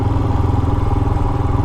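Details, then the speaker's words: Royal Enfield Himalayan single at light throttle while riding, after valve adjustment (exhaust clearance set toward the loose end of spec): steady thump with soft even mechanical clatter; normal valve train noise, noisier than stock but okay. "But I think these things kind of make that noise anyway. Their own roller bearings. Roller bearings a lot smoother, but they're usually not quieter."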